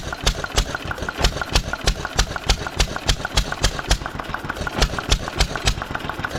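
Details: 1920s Taylor Model B hit-and-miss vacuum engine, long unused, restarted after fuel work, choked to burn old gas; sharp even exhaust pops about three a second with loud muffler bark, firing cleanly, not very hot but steaming in heat.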